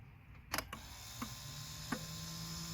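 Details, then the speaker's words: 2004 Lexus GX470 ABS brake booster pump, newly replaced, first run during bleeding, filmed at the reservoir: a few clicks, then a steady, low, even motor hum as the solenoid pumps and the fluid level drops; pump working properly. "I hear it all right that is the solenoid pumping it and you can see yep the line going down here"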